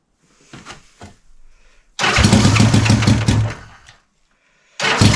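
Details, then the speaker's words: Honda CB450 Black Bomber, recently revived, started with battery meter attached to check charging (appears to charge poorly); starter cranks briefly, engine catches, revs cleanly, drops off and refires promptly, starting easily. Earlier run had a suspected slight rattle, cam chain checked. "But you know what? That's okay. Start it up pretty easily. Seems to rev."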